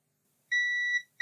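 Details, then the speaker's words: Lloytron AM/FM radio that only runs on mains power, component desoldered and the board pads tested in continuity mode: clear high steady beep about half a second, a pause, then again; the short is on the pads, not the removed part. "The short is on the pads, so what is causing that?"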